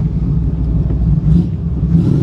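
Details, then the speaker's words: 1954 Ford F-100, hot rod restored, 302 V8 with automatic transmission: deep, steady low rumble with even beat and no knocks or ticks; healthy, nice-sounding engine. "it's a really really nice sounding truck"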